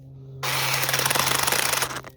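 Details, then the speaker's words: CSwid mini chainsaw, failed at day 32: harsh raspy buzz pulsing and wavering then fading as motor labours, won't spin up to cut a small branch, smoking with dark rings around the motor; motor bogging under load. "But it won't spin up fast enough to even go through a little small branch. I mean, it's barely cutting."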